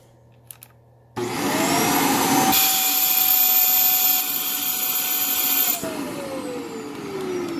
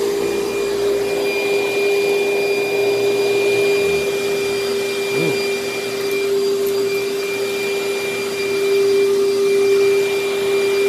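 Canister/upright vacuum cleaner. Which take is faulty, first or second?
first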